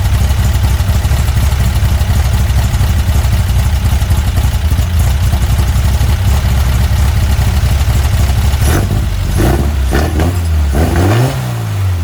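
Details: Weber 44 IDF carburetor on a Herthing, with idle jets just resized: deep, steady idle with an even beat, then a throttle blip that picks up a touch lazily. Idle is good but hesitates on opening; main jets are judged too small and will be sized up.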